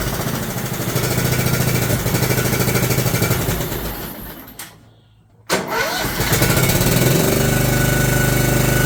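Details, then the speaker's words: John Deere LT150 mower with swapped-in replacement 15 HP Kohler engine: single-cylinder thumps steadily, drops out briefly, then settles to an even beat; runs better and quieter than the day before, normal running. "it does run better than it did yesterday and it's quieter"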